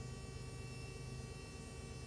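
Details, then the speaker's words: Electric fuel pump on a Jaguar AJ30 3-litre V6-swapped MGB GT, running again after its 30 amp fuse melted and was replaced; low steady hum with faint constant whine, no surging: pump doesn't sound broken, cause of blown fuse still unknown. "Very strange pump. Doesn't sound like it's broken."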